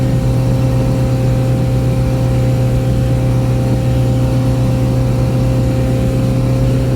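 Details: Boat outboard, back on after repairs, trimmed and run wide open on the lake near 5000 rpm and about 50–52 mph, above its 3500–4000 rpm cruise; mic behind the windshield. A constant, smooth high-rev drone: normal wide-open-throttle running.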